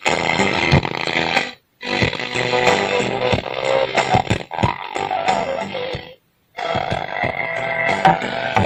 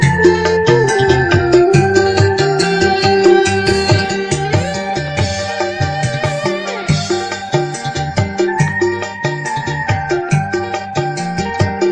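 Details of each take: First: OCL 150 W power amplifier, hoarse, rough, gritty music output; BD139 driver transistor open at the collector. Fix: BD139 replaced with MJE340, BD140 with MJE350, 47µF 25V electrolytic capacitor with 47µF 50V, restoring normal sound. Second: Keyboard amp with OCL 150 W power board, after hoarse sound fixed by replacing BD139/BD140 drivers with MJE340/MJE350 and 47µF 25V caps with 50V: music full and clean, no rasp, hum or crackle.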